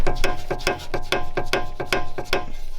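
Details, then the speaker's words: Early Volvo V70, front left (driver's side) corner. Sharp regular clicks, about two or three a second; the owner suspects a ball joint or spider joint, so the cause is not yet found. "So just for you guys to get a perspective of what the sound looks or sounds like, it sounds like this"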